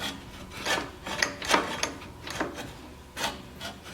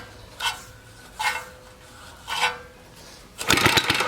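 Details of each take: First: 1953 reel mower after loosening the bolt and turning the bed-knife cam: light rasping swishes as the reel is turned by hand, blades just starting to contact the bed knife; the adjustment is correct. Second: Free 1953 reel mower with a Briggs & Stratton 5S single-cylinder engine, spark test: three quick rope pulls, each a brief whir with no firing. No spark; the points probably need cleaning or replacing.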